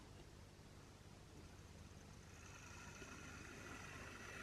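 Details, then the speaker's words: Bachmann 4MT standard tank model locomotive on the test track before a long-overdue full service: small motor whirring with a dry, gritty grinding rasp that builds as it runs; owner suspects the gears have dried out, but it still moves. "oh yeah she's coming around the grindy so it sounds like the gears have dried out but nonetheless we're moving"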